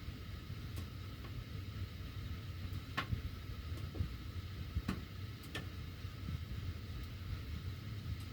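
Faint, irregular sharp ticks come every second or so over a low airflow hum, the ticking ducts make while the heat runs.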